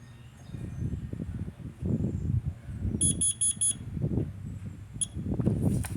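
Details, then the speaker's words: Carbon monoxide alarm: a high, shrill beep sounds four times in quick succession over room noise, then pauses; four beeps mean carbon monoxide, while three beeps mean a smoke alarm. "you could go ahead and tell that this one's four beeps and this one's three so if you hear a three beep that's a that's a smoke if you hear a four beep"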